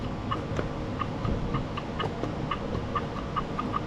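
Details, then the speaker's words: Old unused Craftsman push mower, Briggs & Stratton 6.0hp Quantum, carburetor: sharp little clicks about two a second with each press of the primer bulb, yet no fuel comes out; bowl possibly empty or plate seal leaking; primer bulb working. "I can hear it working. And there's nothing coming out."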